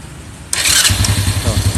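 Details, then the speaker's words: Double starter retested after cleaning a dirty armature and greasing (no part replaced): short clean starter spin, engine catches immediately and settles to a steady idle. No squeak; normal starter engagement. "ngeknya yes, hilang. Sekali lagi ben marem, sekali lagi. On. Double starter. Yes, sip. Double startermu suara ngeknya wes hilang."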